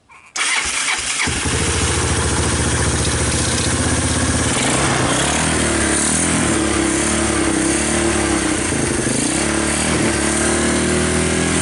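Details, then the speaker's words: 1986 Honda TRX200SX ATV that sat for years in the bushes, started with choke and the key switch bypassed; it fires right up into a steady, even single-cylinder putter with no knocks or misses, and the wheels turn. Normal running. "so it starts and the wheels turned this should be yeah now that it turned a bit it should be a lot easier"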